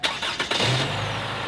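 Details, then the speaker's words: Toyota RAV4 after an oil change with five quarts: short crank, catches and settles into a smooth, even idle; quieter than before, valves no longer clacking as much. "if you notice compared to what it was doing before the overall engine is somewhat quieter too you don't hear the valves clacking as much it's quieter than it was"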